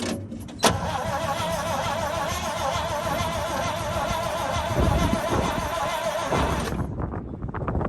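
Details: Abandoned 1962 International Harvester B-series farm truck, long unused, with a little gas poured down the carburetor: starter turns engine over at a healthy, even pace about six seconds but it never catches.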